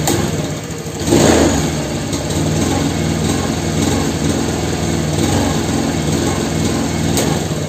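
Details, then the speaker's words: Honda Beat FI (injection) scooter at full throttle: slide fully open but engine bogs with a flat, strained drone, losing power at top RPM; low/mid fine, idle slightly stumbling; injector, throttle body, idle air cleaned, plug normal. "itu enggak ada tenaga nih guys Coba kalian perhatikan disini untuk dibagian skepnya ya di sini ya skepnya sudah mentok sampai atas tapi ini tenaganya nggak ada"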